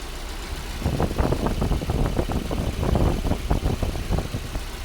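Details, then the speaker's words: Mercedes W124 M102 after the Voltarent EFI conversion, idle set down to 800 rpm while warming up: a steady low idle with a slightly lumpy pulse and some shake still to be cleaned up; running normally. "But man, this is good. Oh, so eager to run. That's how we get engines running with a Volant ECU."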